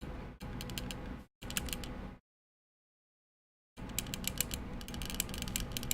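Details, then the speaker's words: Alps-switch keyboard build typed in quick bursts of clacky keystrokes, with a thin loose rattle on top: the screw holding the plate is loose; to be tightened. "now the plate is loose. Like the screw is loose that holds the plate together."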